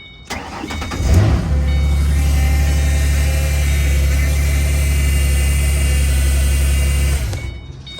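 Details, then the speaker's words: Ford Mustang with 4.0 engine, starting up: cranks and catches, then a loud steady belt squeal over a smooth idle; the owner suspects the idler or tensioner pulley. "I believe maybe the uh idler pulley or the tensioner pulley is not working properly so I got both of those see if you can hear"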